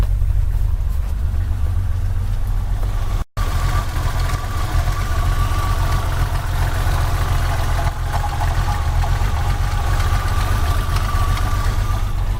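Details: 1987 BMW 325ic Sport with M20 six-cylinder at idle: steady low idle with a slightly uneven, lumpy beat, as if running on five cylinders; rough idle, cause unknown.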